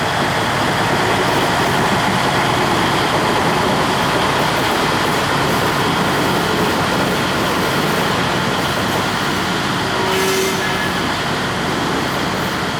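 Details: 1953 GE 80-ton long-frame diesel locomotive, last run 1998 by the Navy, just revived after temporarily twisting the contactor coil wires: steady heavy roar holding even under load, no knocks or misses; pulling normally, forward and reverse. Air throttle has dead spots, likely loose wiring.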